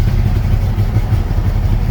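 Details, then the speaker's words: 1974 Pontiac Ventura, original engine, 83,000 miles, unused 3 years, rebuilt Edelbrock carb, manual choke, nearly empty of old fuel: deep, lumpy V8 idle; owner suspects it is running rich and loading up, tries half choke. "Might have been loading up. See if I pull the choke in a little bit. Runs better. Nope. It didn't want that choke. Maybe half choke. Like it's uh running a little rich."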